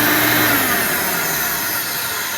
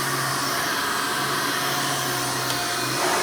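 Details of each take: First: Original motor of a Hoover Elite vacuum before replacement: a loud, harsh high whine with a rough rasp that slowly sags in pitch. The owner judges the motor worn out, but the cause is not confirmed. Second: 1988 Hoover Elite vacuum running after its worn motor was replaced with one from a trash-picked 1995 Hoover: a strong, steady motor whine and even airflow rush with no rattle or grinding. Suction is much better, so running is healthy.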